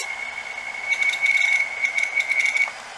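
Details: Dead hard drive running in a caddy; thin high whine with rapid scratchy rattling and grinding bursts as the head drags across the spinning platter: hard drive head crash.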